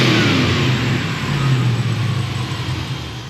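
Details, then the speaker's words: Washed-out junkyard 5.3 LS V8 for 1982 GMC C10, warmed up, closed loop, idle floating about 520-570 rpm, slightly rough with timing moving, good oil pressure: smooth light throttle swells, no knocks or misses; runs good. "we took the motor, we put it in the washing machine, we washed it out. It runs good."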